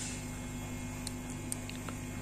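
Steady low mains-type hum with a few faint crackles from a microphone whose cable wires have broken at the solder joints.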